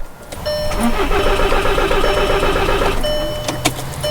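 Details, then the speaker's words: 2011 VW Sportwagen TDI, first start after the fuel pump was replaced and fuel lines were opened, left to self-prime without the computer: starter cranks, engine catches, runs raggedly a few seconds and stalls from air in the fuel lines. "we're just going to crank it and let it [Music] self-prime okay okay well it's stalled it did"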